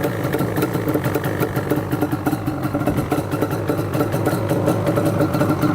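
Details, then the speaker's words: Yamaha Banshee two-stroke ATV, warming up, slightly rich and smoky; burbles unevenly and stumbles, won't rev out because parking brake engaged was holding the choke on; releasing it fixed the bogging. "Let's give it a little bit of throttle here. Sounds like the choke is still on."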